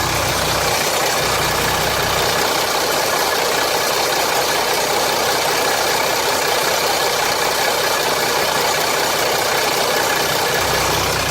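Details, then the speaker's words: 2007 Jeep Grand Cherokee 3.0 CRD diesel idling warm: harsh metallic rattle loudest low at the sump, sounding like bottom end, possibly carried through the aluminium block. Oil pressure light returns at idle. Owner suspects the oil pump; cause unconfirmed. "It's rattling on the pump. So the rattle sounds like bottom end now. And, well, as you heard from the sump view, it sounds a bit noisier and rattly down there."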